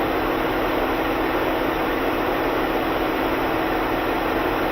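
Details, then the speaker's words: 2011 Ford Edge 3.5 with code P0480 after the cooling fan assembly was replaced: with fan speed commanded from a scan tool, both fans roar at a steady, even high-speed rush with no cutting out; normal cooling fan operation. "oh yeah I'm sure you guys can hear that are they both running yes they are both running"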